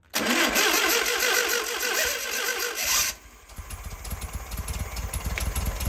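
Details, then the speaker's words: 1968 VW Beetle air-cooled engine, out of the car, restarted after valve adjustment to .006" and compression test with plugs reinstalled: sharp burst then a steady, even idle with a quick regular beat; running smoothly. "all right seems to be running pretty smooth so I think we're in pretty good shape with this engine here"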